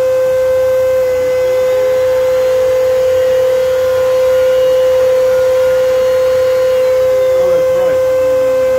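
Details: Old Kenmore vacuum with floor brush head engaged: loud steady high whine at one fixed pitch; the brush roll was broken and bound up with hair so it does not turn.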